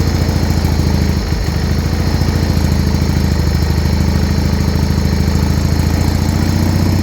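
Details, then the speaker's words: Original 1980 John Deere 317, first start after about three years unused, tank pressurized to feed the pump and carb, started with choke and a little throttle: steady, even low chug with a regular firing beat, no knocks or misses. Normal idle. "so she's finally started and idling"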